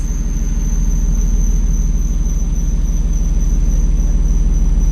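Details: 1995 BMW E36 M3 that sat two years, first start with the transmission detached and the battery light on: a thin, steady high-pitched squeal over a lumpy idle. Something in the accessory drive is suspected to be dragging, not confirmed.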